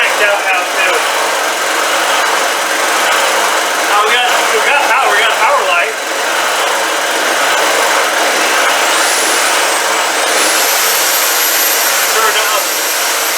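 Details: Old generator, dialed in; steady, even note holding level without misfires or surging, running normally.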